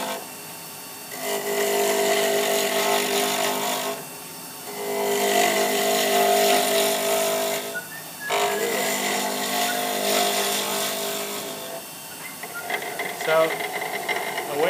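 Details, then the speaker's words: Pen blank turning on a lathe while rough-cutting square, jagged edges: bursts of chattering cutting with a fast bouncing rattle as the tool meets flat edges; the blank is not yet perfectly round. "check it without turning off if it's around is if you hold this and you hear it rattling it's not perfectly round cuz that flat edge is hitting it and making a nice bounce"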